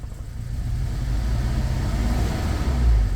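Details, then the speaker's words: Toyota Fortuner petrol (likely 2TR), dual-fuel LPG, running on petrol and revving. The uneven, lumpy exhaust stumbles under acceleration with popping. The misfire was later traced to a dead cylinder 2 with a rat-chewed injector wire. "สะดุดเลยครับสะดุดจัดเลยอันนี้น้ำมันนะฟังเสียงท่อกันป๊อกๆๆเลยอ่ะ"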